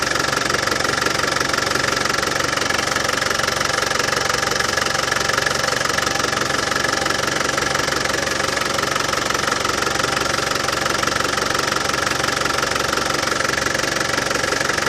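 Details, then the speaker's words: Land Rover Defender 200TDi diesel idling after the failed power steering pump was replaced and the system bled: steady, even clatter about four times a second with no rattle from the front accessories; the new pump cured it. "Well, as you could hear, no more nasty rattlings from the power steering pump. That new power steering pump has cured it."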